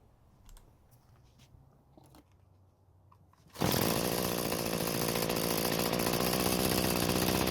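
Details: Free curbside string trimmer that wouldn't start, running after reconnecting the disconnected throttle cable, started without choke: steady, even buzzing run with no stumbles or misfires; normal running.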